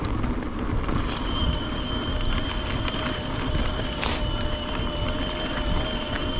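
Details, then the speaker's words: LightCarbon LCE930 e-bike climbing on assist levels up to max turbo: a thin steady high whistle like a teapot rides over tyre and wind noise, the drive motor whining under heavy assist. "It caks and it sings like a teapot."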